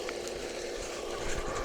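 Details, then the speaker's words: Garden and yard water pump that would not hold pressure, suspected air leak in piping, before teardown: steady mid-pitched motor hum with irregular low thumps, uneven, possibly grinding; rough running, cause not yet found. "Okay, so here's kind of the rough sound maybe that you can hear. There's just a little bit of a uneven or some kind of a, I don't know if it's grinding or just what, but it just isn't running optimally."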